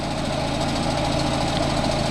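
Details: Audi A6 2.0 TDI with 0B5 DSG automatic, raised on lift: steady diesel idle with a dull, uneven rattling knock that can shake the car, worse pulling away or in reverse; worn dual mass flywheel, requiring transmission removal.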